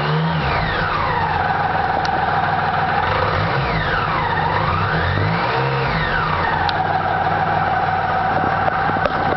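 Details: BMW K75 RT cold start: engine revs up and down with a whining tone that rises and falls with rpm; abnormal noise, cause unclear.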